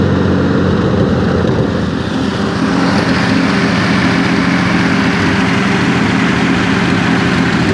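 Steady, even idle with a smooth low hum and no knocks, misses or ticks; the engine sounds healthy and well tuned.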